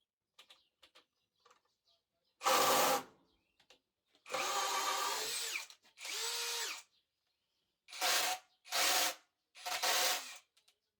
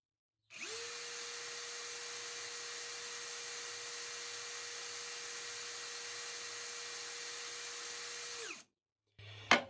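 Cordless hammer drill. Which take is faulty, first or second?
first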